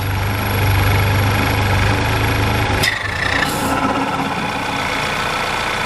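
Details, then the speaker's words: Audi TT with freshly rebuilt engine at warm-up idle after blocking the PCV vacuum line; even, steady idle with low hum and no hissing air leak, engine no longer sucking in air; PCV valve suspected of drawing excess vacuum. "You can hear instantly, look, no vacuum. Engine sounds a lot better, it's not sucking in air."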